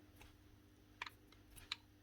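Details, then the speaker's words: Metabo MFE40 twin-blade wall chaser motor bearing turned by hand: sharp clicks and pops. The bearing is failing and may be collapsing, possibly straining the motor at high speed; bearings to be replaced. "There's actually something gone in it, so that could also be something to do with it. This bearing might be starting to collapse."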